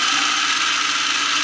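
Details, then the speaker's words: Lionel plastic-case Scout motor, #1110 2-4-2 locomotive, direct-wired around half throttle, about 7–8 volts: harsh, loud steady whirring buzz even at slow speed, a common trait of these motors with their jam-prone reversing unit. "so it will go on these slower uh speeds but you hear how loud it is even at these slow speeds this is a common trait of t"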